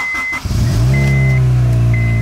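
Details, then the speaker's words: Car said to sound bad, with a crusty fuel tank: at startup it catches and settles into a loud, deep, steady drone with a strong low boom, far louder than stock; cause unclear. "oh yeah it is kind of loud not gonna lie"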